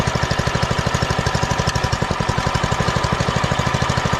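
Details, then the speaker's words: Doodle Bug DB30 minibike after fitting a new carburetor: the single putters at a steady, even beat of about eleven pulses a second with no misses, running way better than before. "she's running way better than before holy boys we're screwing"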